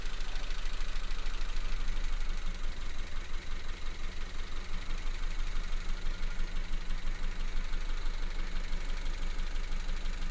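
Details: 2016 Honda Civic VTEC petrol with a flashing engine light and code P0303: a low idle with an uneven, stumbling beat about three times a second. Cylinder 3 misfire; spark confirmed good, faulty injector.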